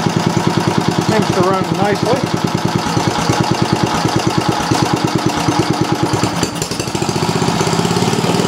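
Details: Briggs & Stratton Model B (B 7 S) single-cylinder engine with non-original muffler and added gas shutoff, newly got running: rapid, even popping exhaust beat with no misses or knocks; the old engine runs smoothly.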